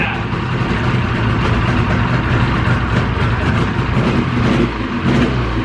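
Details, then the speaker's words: 2000 Ski-Doo Grand Touring 600 two-stroke snowmobile, revived after three years outdoors with carbs cleaned, running rough at a low, labouring idle that needs adjusting upward. "Running pretty good though, but like I said, we're a little bit low on our idle, so we'll have to adjust that a little"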